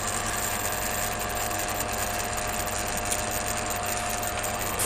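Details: Rebuilt and upgraded Fukner FU-400 antenna rotator, test run after refurbishment: steady, even motor drone with a constant pitch and no knocks or grinding; the rotator turns smoothly and sounds healthy.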